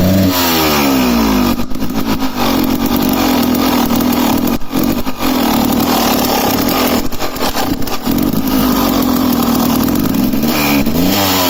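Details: 2007 KTM EXC 300 two-stroke revving: a loud rev with ragged, dropping beats and brief cuts in the note. Running incorrectly, misfiring under throttle.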